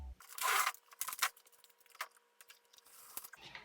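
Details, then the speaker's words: 2019 Dodge Ram 1500 Laramie (wrecked), busted panoramic sunroof: harsh crunching, grinding bursts over a faint motor hum as the glass panel is forced along tracks packed with ground-in debris. Suspected debris grinding; full disassembly and cleaning planned. "You just hear the grinding. Well, I was hoping I could just pop these glass panels out, but there's just too much ground in everywhere in all the tracks"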